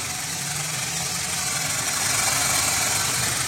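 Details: Used car engine checked at idle before purchase, left at idle without revving: even steady idle with soft regular beat, no knocks or misses under a constant hiss; normal idle.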